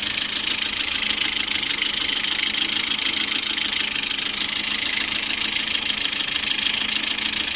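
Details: Lada Priora with 21126 engine, idle: fast, even light ticking from the top end, suspected hydraulic lifters, present cold and hot (about 90°C); oil viscosity changed and oil pickup replaced without fixing it.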